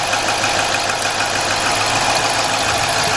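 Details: Chrysler/Dodge/Jeep engine with code P0305, cylinder 5 misfire, coil plugs unplugged one at a time: steady idle with slight uneven knocking, no change when a coil is unplugged; dead cylinder misfire.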